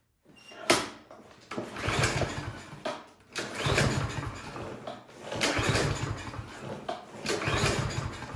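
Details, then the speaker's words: Craftsman M230 lawn mower with oil and gas present. Several pull-start cranks give only a brief churning rasp and it never catches, cranking but not starting. The cause was found to be a carburetion issue. "All right, so it is not firing. So I got some starting fluid. I'm just gonna spray that in there because if it doesn't start with the starting fluid, then we got something going on with the spark plug."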